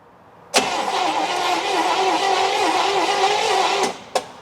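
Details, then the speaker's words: 1964 Buick Electra engine, sat 25+ years and seized, just freed. Cranked with the plugs in using a starter button, battery on the charger. Even, healthy cranking for about three seconds with no drag. Spark test afterwards showed no spark. "And before I turn the key on, let's see how it cranks with plugs in there."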